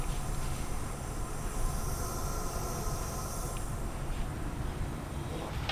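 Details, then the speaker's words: Nissan 350Z engine on a cylinder leak test, with compressed air fed through a modified spark-plug adapter: a continuous airy hiss escapes at the exhaust while the cylinder holds pressure; leaking exhaust valve. "I think we've found the leak, out of the exhaust."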